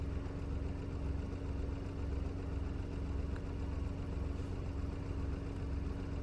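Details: Petrol car engine idling during an OBD2 scan: no warning lights, fuel temperature 27°, fan activation 10%. Smooth, even low rumble with a steady beat and no knocks, ticks or hunting; nothing wrong with the car.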